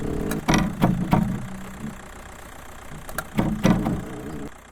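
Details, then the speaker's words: Skoda Fabia Mk1 (1999–07), heard at the front strut top mount under the open bonnet while the steering is turned fully left to right: quiet jittery creaking and groaning in bursts from a failed top strut mount bearing, later replaced with the spring. "turn the steering wheel fully from left to right and you should hear a quiet allowed creaking groaning jittery sound emanating from this area and if left unchecked it will get loud enough that you can hear it in the driver's seat"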